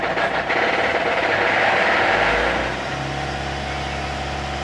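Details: Ford Mondeo 4 2.0 diesel revving with a sharp metallic knock that follows engine speed, traced to the flywheel, specifically the torque converter flexplate; flexplate knock.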